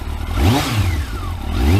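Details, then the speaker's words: Kawasaki ZX12R after clutch install: two quick throttle blips rising and dropping cleanly with no clatter or misses; engine sounds crisp and healthy. "that sounds lovely and sweet"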